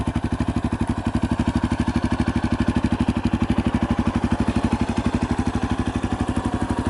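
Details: 2018 Yamaha Tricker XG250 after cam chain tensioner adjustment: single-cylinder idle thumping evenly at about three beats a second, no ticking or rattle; healthy idle.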